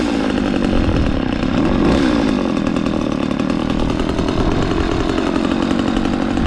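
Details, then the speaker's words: McCulloch Mac 3200 32cc two-stroke chainsaw, 14-inch bar, after repair: steady high idle, sharp rev-up, then settles evenly; chain oiling confirmed, runs and sounds good. "uh so everything's good with this chainsaw it runs good sounds good"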